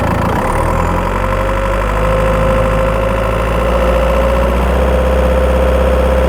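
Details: Skoda Octavia 1.9 TDI PD diesel, microphone in the battery box while driving: faint chirp and light tick about four a second over a deep drone, mainly when accelerating under load.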